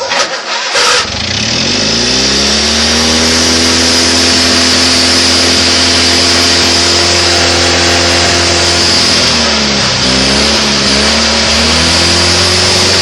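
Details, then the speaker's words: Craftsman GT6000 mower Kohler V-twin, just after fuel pump replaced and carb rebuilt (homemade carb bowl gasket, new air-swirl attachment), jump-started: runs loud and steady at high revs, even firing with a brief dip and recovery, no misses; now running properly, louder and higher RPM than before. "Hells yeah! I worked hard on this piece of shit. I'm glad it's working now."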